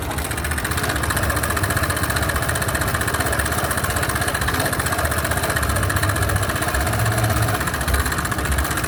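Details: 2020 Bajaj Boxer X150 single-cylinder idle: light loose knock on each firing about four per second; shown as loose tappet sound, but knock ultimately traced to worn piston rubbing cylinder walls.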